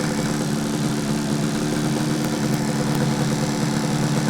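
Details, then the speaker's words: 1968 Yamaha YAS1C 125 two-stroke twin, after carb work and points/timing set on both sides, probably not yet up to temperature: steady, even idle with smooth low buzz, no misses or knocks; running cleanly. "Okay, let's get our fuel back on. I guess it was. And key back on. Oh, that sounds good. Picking it up now."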